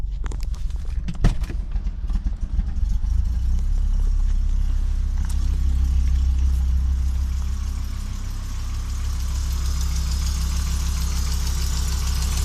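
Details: Audi Coupe after swapping NG engine for AAR engine, hard to start and stalls when driven: uneven, stumbling idle with irregular pulses about three or four a second and a wavering note; misfires, rough idle, cause unknown.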